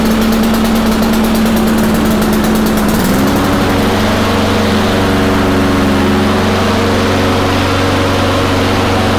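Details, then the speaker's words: Honda mower previously surging, after cleaning carburetor (water or debris in bowl suspected) and new gasket, flywheel key intact: choke chugging eases after a few seconds, then settles into even, steady idle with no surging. "but yeah seems to be working pretty good now"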